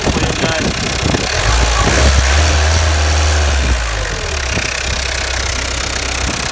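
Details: 2007 Peugeot Partner 1.9D (DW8B) diesel at idle: a sharp, regular metallic tapping rides over the clatter, steady with engine speed; the cause was a faulty control injector, and the knock was gone after replacing it.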